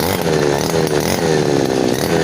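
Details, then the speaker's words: Customer's small two-stroke grass cutter that sat long and wouldn't start, fixed by removing the stuck carburetor float needle that blocked fuel: steady buzzing with regular warble, no surging or cutting out; running cleanly after repair. "เครื่องนี้ถือว่าสตาร์ทง่ายเลยนะครับสตาร์ททีเดียวนะครับสะทาทีเดียวก็ติดแล้วนะครับ"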